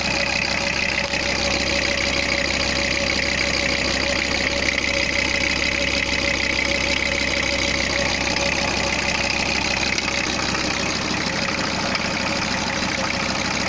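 Steady diesel idle with an even clatter around three beats a second, a touch busy on top but running consistently; sounds like a normal fresh start.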